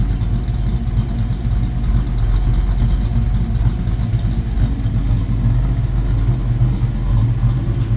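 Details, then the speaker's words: 1972 Ford Mustang Mach 1 with a $1,000 engine, after start-up: deep, even V8 idle with a steady low rumble, good oil pressure, quiet, no knocks or ticks; some audible power steering pump noise; normal idle. "That thing runs good, man. I for $1,000 motor, I couldn't be any happier. Lots of oil pressure, quiet."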